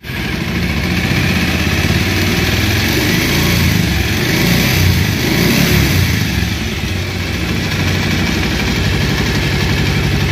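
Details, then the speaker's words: Old second-hand Bajaj Pulsar single-cylinder, noisy when hot despite earlier valve, timing chain and balancer replacement: runs rough with a loose metallic rattle over the exhaust through the revs. The cause is a worn cylinder and crank weight bearing; a new cylinder was fitted. "আর আপনারা যে সাউন্ডে শুনলেন, এখানে দুইটি সাউন্ড ছিল, একটা হলো সিলিন্ডার, আরেকটি হলো ওয়েট পেনিয়ামের।"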